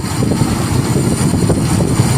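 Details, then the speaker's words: Toyota Kijang Kapsul 7K carburetor, early type, being tuned: engine roars on a throttle blip with small uneven stumbles, a slight miss when the slow circuit hands over to the primary. "Sudah mau terbuka, ini perpindahan di slownya itu misis sedikit gitu."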